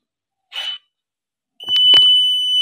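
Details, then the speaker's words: UPS with a continuous long-beep fault, MOSFET desoldered from the board and tested with a meter: after a short blip the meter gives a solid, unbroken beep across the legs, showing a dead short. The shorted MOSFET must be replaced. "এখানে সর দেখাচ্ছি মানে এখানে রয়েছে খারাপ এই মসপেটটি change করতে হবে"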